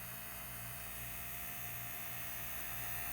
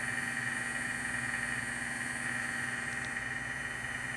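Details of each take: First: Steering servo of a vintage 1978 Shinsei Lamborghini Cheetah (Fire Fox) RC car, revived after long dormancy: faint steady electric hum at one pitch in a quiet room, servo straining and moving slightly when not perfectly centered; digital proportional steering. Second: Vintage 1978 Shinsei Fire Fox (Lamborghini Cheetah) toy, revived after long dormancy: steady even high whine from its small electric motor, running strongly after initial trouble starting; normal running.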